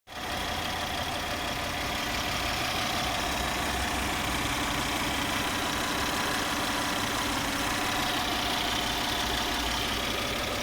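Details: Toyota 1MZ-FE V6 after a major overhaul, knocking when the throttle is released: steady running with a light, uneven tapping about three times a second; engine knock of unknown cause.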